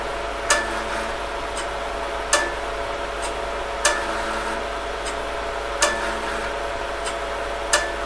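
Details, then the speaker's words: Intel MDS floppy drive unit under restoration, running a drive test that passes: sharp head-seek clacks every second or two over a constant fan drone. The floppy drive is working normally. "test is underway and you can possibly hear the drive doing its thing over the noise of the fans"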